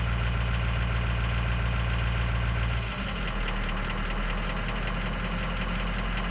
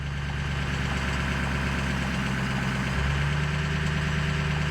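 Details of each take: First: Ford Powerstroke diesel (6.0 or 7.3) during a scan-tool key-on engine-running on-demand self-test; idle clatter drops and changes note as idle is cycled; cylinder six contribution balance issue later reported. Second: Ford Powerstroke diesel (6.0 or 7.3) at idle while a scan tool commands the VGT turbo vane percentage up; a steady diesel idle with turbo hiss rising and growing louder as the vanes close, normal turbo response.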